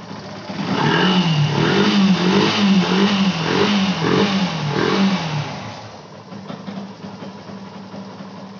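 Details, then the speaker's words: Yamaha FZ Fi BS6 after refitting hanging bank angle sensor that caused no-start and check engine light: engine catches, clean repeated throttle blips, settles to even idle; normal start and run. "की आप देख का रहे होंगे गाड़ी हमारी start हो चुकी है और जो यह चेक इन डी लाइट थी यह भी ऑटोमेटिक बंद हो गई"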